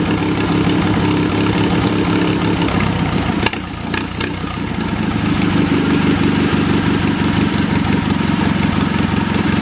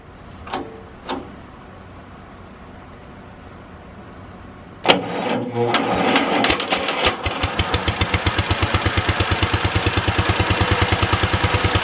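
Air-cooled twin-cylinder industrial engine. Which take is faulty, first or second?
second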